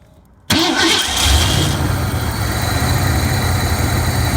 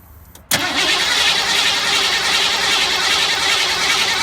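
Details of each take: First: 1985 Ford F150 with a no-crank problem, cranked after the fuel return line was blocked to build fuel rail pressure; short crank, then catches and settles into a steady, even idle; normal start and idle. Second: 1985 Ford F150 cranking: after a click the starter spins fast and even but it never catches; the pump makes pressure but the return line is stuck wide open, bleeding fuel-rail pressure back to the tank.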